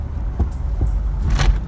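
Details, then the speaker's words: Fast wagon under heavy acceleration: deep engine rumble broken by sharp pops about every half second, hesitating to rev; fine under light throttle, cause unknown, owner suspects throttle body/airbox area. "I'm gonna give it a little bit of gas up here. If you really get on the accelerator, it starts doing a pop, pop, pop."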